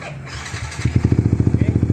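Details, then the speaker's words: Yamaha R15 started by remote through a newly installed alarm/remote starter, in neutral: brief starter churn, engine catches within a second and settles into an even, steady single-beat idle; normal start, remote start works in neutral. "Ternyata bisa ya, motornya sudah bunyi dan dalam posisi netral."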